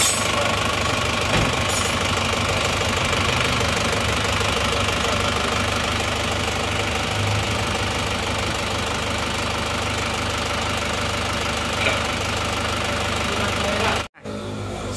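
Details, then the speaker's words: Isuzu Panther diesel after the imitation pistons/liners were replaced with original Isuzu parts; steady, even idle with no knocking or rattle, a far smoother sound than on the imitation parts. Normal idle. "jadi ternyata suaranya suaranya sudah halus bagus perbedaannya sudah sangat jauh ya antara seer yang asli dan seer yang KW Suaranya sangat jauh berbeda ini tidak ada suaraangangang enggak ada"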